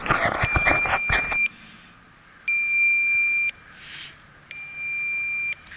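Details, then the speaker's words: York rooftop unit installed May 2014, evaporator coil pressurized with nitrogen and hissing: leak detector gives three steady high beeps repeating every two seconds on the coil; refrigerant leak located. "So I have pressurized the nitrogen. Now I'm going to get out my leak detector and see if I can find the leak."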